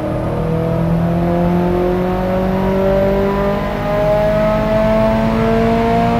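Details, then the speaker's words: Subaru WRX STi on a Haltech ECU, full-throttle dyno ramp run with 2.5 ms ignition dwell time: smooth, steadily climbing engine note with no stumbles or pops, 180 kW at the wheels, no sign of misfire; healthy full-load run. "OK so that run there, 2.5 milliseconds, probably a little bit difficult for you to tell at home watching this webinar, but we had a nice clean run there, 180 kilowatts at the wheels and we've got no sign of misfire."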